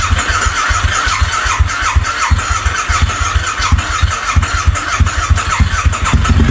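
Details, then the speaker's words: Harley V-Rod on its first start attempt in at least four years: long rhythmic cranking with uneven chuffs that never catch. Owner suspects the plugs are fouled from heavy penetrating oil squirted into the cylinders, since the old plugs came out wet. "When I pulled out the old plugs, they were wet still from it, so that's going to foul them up a little bit."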